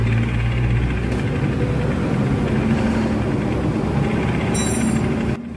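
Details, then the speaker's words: Honda Scoopy injection (donut tyre) scooter final-drive gearbox, rough humming: steady rough hum and low rumble even after replacing ratio gears, counter gear, shaft and bearings; worn gearbox housing suspected, double or triple gasket shim planned as fix. "Kemungkinan ini adalah penyebabnya bak atau rumah gerdangnya itu yang haus."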